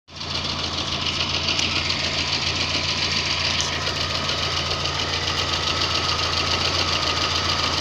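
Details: VAZ 2110 engine when warmed up: steady, regular knock about three or four times a second over warm idle; source not yet identified.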